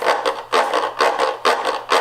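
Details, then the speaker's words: Washing machine transmission turned by hand: harsh gritty grinding in bursts about twice a second from a half-engaged shift; suspected actuator failing or grimy, or a weak shift spring, with the actuator most likely. "let's see if I can make it make the noise. You'll hear the horrible grinding noise."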